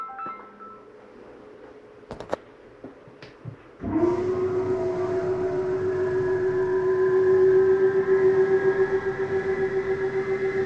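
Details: 2023 Flagstaff Superlite 29RBSD travel trailer, bedroom slide-out: clicks, then a steady motor hum settling into a rhythmic grinding pulse about four per second once fully in. This is normal end-of-travel noise, not a fault.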